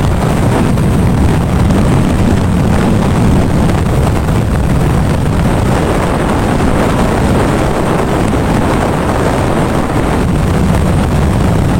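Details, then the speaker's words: Honda Astrea Grand, hot engine ridden under load after combustion chamber repair and leaking-valve compression fix: smooth even drone beneath heavy wind rush, no rough or tapping noise from the head; normal running. "Nah untuk suara mesin tetap adem anteng ya untuk suara mesin tetap adem dan anteng tidak ada suara kasar lagi di bagian headnya"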